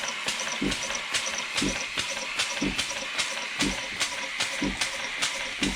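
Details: 1950s German engineering-students' steam engine on its first test run since then, fed steam from a DeLonghi coffee machine because its boiler has holes. Even chuffs about once a second with sharp hissy exhaust beats and light ticks; normal running.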